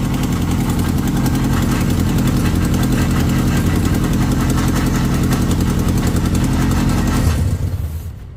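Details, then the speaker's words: Acura Integra just revived after being in pieces: rough idle with steady low rumble and uneven rattle, then shut off; throwout bearing noise because the clutch slave cylinder wasn't bled. "yeah you really gotta bleed the slave so that your throat bearing doesn't make that [ __ ] up noise yeah this sounded really [ __ ] up"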